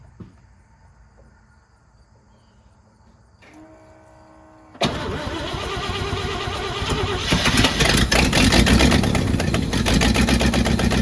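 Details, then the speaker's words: Junkyard 1966 Jeep Gladiator 327 Vigilante with carburettor mixture screws backed out two and a half turns: cranks and catches, then runs lumpy with a loping huge-cam sound and won't idle; a massive vacuum leak was heard afterwards. "it won't idle um I have the screws backed out two and a half turns shouldn't really have to go more than that and it won't really idle if it does it kind of sounds like it's a huge cam in it"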